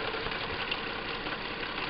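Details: Steady idle with a sharp, rapid knock at every turn of the engine, something clearly loose inside; severe internal engine knock.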